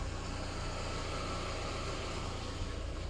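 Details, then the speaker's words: 27-year-old Audi, idling in front of the garage; steady low even purr with no knocks or misses; normal idle. "Kuulete, kuidas nurru"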